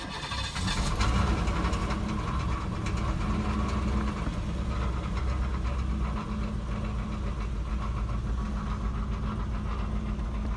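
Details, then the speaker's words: 1991 Cadillac Eldorado, 80k miles, long sitting, needing a tune-up, with chunks missing from the belt and a falling-apart catalytic converter: it catches and settles into a low, even V8 rumble with steady firing, no knock or miss. Engine runs pretty smooth; normal idle. "Engine runs pretty smooth."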